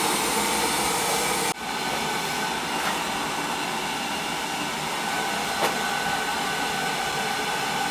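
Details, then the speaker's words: Old boiler after leak repair, just starting to heat and cycling on the low limit with circulation kicking in: even steady burner roar, faint constant hum, no surging or puffing; firing normally. "you can hear it running it's just starting to heat going to keep working off and on on the uh on that low limit right because the low limit the circulation will kick in"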